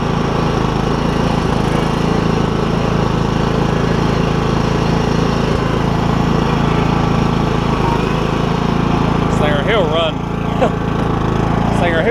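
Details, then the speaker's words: Troy Bilt Super Bronco lawn tractor with a Kohler Courage engine and a cracked block, driving after the spring was moved to the other side. The single cylinder holds a steady, even drone with no surging and pulls cleanly; called the fastest MTD mower ever. "will run my gosh a fastest MTD mower I think I've ever had"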